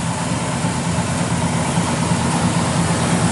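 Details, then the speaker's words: 1972 Chevelle SS with a rebuilt 396 bored .030 over, thumper cam, aluminum intake, Holley carb and 3-inch exhaust with 2.5-inch tailpipes: deep uneven thumping idle, about three lopes a second, steady with no knocks. Normal lopey idle. "You'll hear it when we fire it up. And again, it's a 30 over 396. It's all been completely redone. Got a nice thumper cam, aluminum intake, Holley carb on it."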